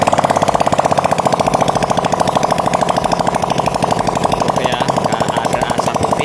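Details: Honda Supra Fit motorbike after repair for white smoke and rough sound, test run with exhaust removed to check smoke and lubrication: sharp, rapid, even popping in a steady fast rhythm with no misses; healthy engine, no white smoke.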